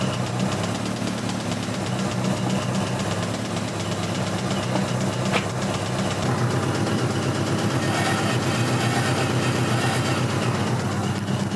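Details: 1986 Toyota MR2 AW11 salvage-yard parts car: rough idle with a steady deep bottom-end knock about four per second; bad rod knock, engine declared toast.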